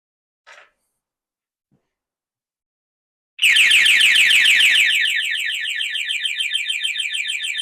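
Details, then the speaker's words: Triumph Sprint 955i that sat for years: a faint click, then a shrill siren pulsing about three times a second that won't stop. The alarm won't disarm with a temperamental key fob. "So, what I have found while trying to change the battery on one of the fobs, you can see on the camera down this side here, the tracks all burnt, which to me is indication that this fob isn't going to work."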